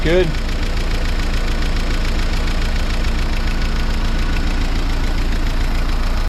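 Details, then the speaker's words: 1955 Willys CJ5 Jeep, 506 miles since engine rebuild, after gasket repairs, new exhaust, throttle return spring set and idle raised: low, even, quiet idle with a soft steady beat and no knock or tick, normal idle. "These motors sure are quiet, aren't they?"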